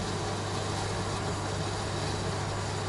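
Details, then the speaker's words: Heating radiator in a top-floor apartment: a constant rushing hiss over a low steady hum with no rhythm. Trapped system air is suspected; the radiators were cold and were bled each morning, and they are being replaced. "Не знаю, слышите, не слышите, но он шумит жестко. Очень как-то жестко шумит. Я думаю, за счет того, что здесь последний этаж, и постоянно, ну, воздух системный."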